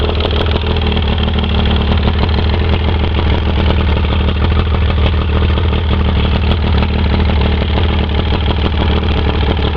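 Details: Fresh-water Mercury 115 outboard at idle: loud, rapid metallic knock over the low rumble, piston slap with slop in the number 1 piston, worse under load.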